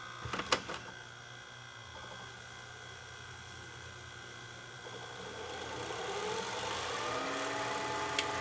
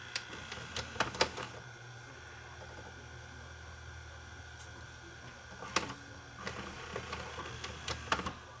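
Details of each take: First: JVC HR-FS1 vertical VCR with a broken main cam: clicks of the mechanism engaging, then a smooth, rising whir as the tape spools back without jamming; regular rewind works, though fast forward breaks it. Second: JVC HR-FS1 vertical-standing VCR: quiet whir broken by sharp mechanical clicks and clacks, then a stalled buzz when fast forward is tried; broken main cam jams the transport (plays, rewinds and ejects fine otherwise).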